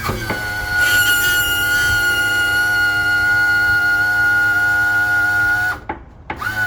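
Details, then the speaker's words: Suzuki DF250 outboard power trim unit lowering onto the trim rams: steady high-pitched squeal with groaning, normal going up; after fluid change to AW46, rust cleaning and bleeding, cause unknown. "what we got now is this noise when the unit comes down and only when it starts to hit these Rams these uh actual tilt um no those are the those are the trim Rams"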